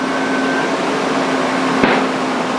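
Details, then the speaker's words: Range Rover air suspension inflating after first start, following a new battery and an overdue oil change. Compressor drone, then one sharp pop about 2 seconds in. Owner suspects an air bag popped or caught itself at a weird angle. It looks fine afterward, at proper, even ride height. "It sounded like a bag popped, but it might have just been at a weird angle."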